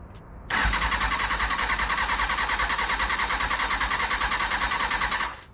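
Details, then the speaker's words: 2000 Kawasaki ZX6R during rebuild, cranking on starter fluid: starter spins steadily about three pulses a second for five seconds, never fires, no backfire; owner says ignition works and suspects a fuel flow issue, possibly the fuel pump, unconfirmed. "well at least I know the ignition is working fine it is going to be a fuel flow issue"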